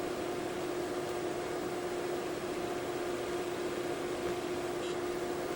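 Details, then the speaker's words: HP Vectra 486/66U with a SCSI drive temporarily installed on an EISA Adaptec SCSI controller: quiet steady hum under soft fan hiss, no clicks or scraping; drive spins up normally. "i have very temporarily and very temporarily is the operative word here installed a spuzzy drive let's see what happens both drives spin up"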